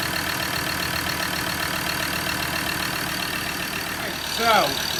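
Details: Recently bought Ford Ranger diesel idling: loud steady hiss over the clatter, very noisy. Exhaust blowing past a badly blocked, leaking EGR valve, a fire risk; it also had leaking injectors and a missing injector washer.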